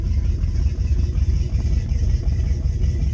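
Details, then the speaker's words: Twin-inboard boat on trailer just after starting, at the exhaust muffler: low, even rumble with steady pulses and exhaust splashing, no water out yet, which is not dangerous; engine sounds strong, idling normally. "They're splashing because it's exhausting the water. There's no water coming out of it yet. And it's not dangerous, and I'll tell you why in a little bit."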